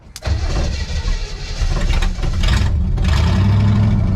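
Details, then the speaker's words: 1963 Chevy Impala wagon V8 that sat about 20 years, restarted after correcting two crossed plug wires (firing order 18436572): a quick crank, it catches straight away and settles into a smooth, even V8 burble with no stumbling; it runs properly. "oh yeah that sounds like a V8"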